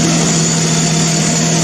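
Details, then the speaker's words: Old Mazda engine for woodgas generator project, carburetor with missing choke hand-choked, run on new homebuilt ignition control computer: smooth, even idle with steady low drone; normal idle. "There, it runs quite nicely."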